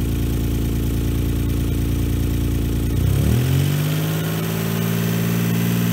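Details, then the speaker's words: 1995 Saab 900SE V6 after a service with a new water pump and timing belt, engine low on coolant: smooth, steady idle, then winds down evenly and shuts off, no knocks or misses; normal running. "the exhaust seems to be okay there's nothing really anything wrong with it except that Michael owns it it's not a problem with the engine"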